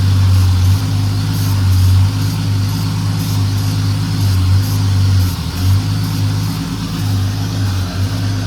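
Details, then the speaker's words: 1968 Dodge Dart slant six after 18 years sitting, first run with dirty carburettor, idle circuit likely plugged: low steady idle rumble with a slight uneven lope; needs carburettor rebuild and tuning. "Well, it actually runs pretty good. Just needs that carburetor tuned up."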